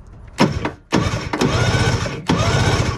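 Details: 1970s Wetco Wetbike, sat ~25 years: three bursts of starter churning spin it but it never fires. There is no spark. A chewed wire comes out of the box.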